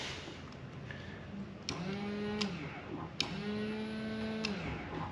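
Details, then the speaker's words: Ford Fiesta being revived, fuel pump tested with no fuel in it: two short bursts of low electric buzz, each rising briefly then holding steady; pump running dry doesn't sound good, owner suspects the fuel pump is finished and plans to replace it. "Well, there's no fuel in it, but you can definitely hear it buzzing [Music] over. Although, it don't sound good there. Now, I think the fuel pumps just had it."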